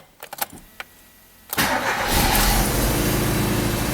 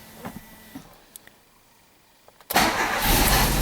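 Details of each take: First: 1994 Alfa Romeo 33 Imola 1.4 L 90 hp fuel-injected boxer, cold after sitting: catches after brief crank, then rough, shaky, high stumbling idle with lumpy beat; misfire from bad spark plug leads, ignition coil also checked. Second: 1994 Alfa Romeo 33 Imola, 1.4 L 90 hp fuel-injected boxer four, after bad spark plug wires were replaced. It starts right away on a touch of the key and settles into an even run. Plugs were somewhat fouled from running without spark; normal start.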